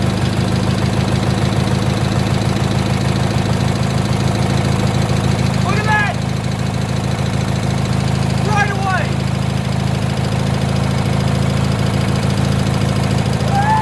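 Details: 1986 Murray lawn tractor single-cylinder engine after carburetor work: steady, even low putter with no misses; clean, healthy idle.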